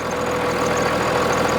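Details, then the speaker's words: 1999 Dodge 2500 5.9L 12-valve Cummins diesel, over 400,000 miles, just after fuel lift pump replacement and bleeding; smooth consistent idle clatter, no misses or surging. Normal idle. "listen to it doesn't it sound great you got that right"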